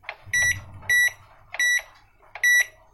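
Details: Microwave oven after a no-power repair with a new fuse fitted, relay and 12 V/5 V supply confirmed: four crisp, high-pitched keypad beeps at slightly uneven spacing in a quiet room; keypad and control board respond normally.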